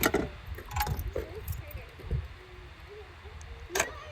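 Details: Locking a 2018 Honda Civic Sport CVT after replacing the fuel lid actuator assembly (74700-TBA-A02): a few short lock clunks and clicks with no buzzing afterward; the fuel door lock now works normally.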